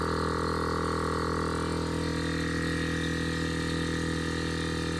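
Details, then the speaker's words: On-board air compressor for an off-road Ford F-150, after battery near 9 V with reversed leads was reconnected correctly: constant even motor hum with steady pumping drone, no labouring or stutter; fills quickly to about 100 PSI; normal running. "Definitely sounds happier and definitely making air."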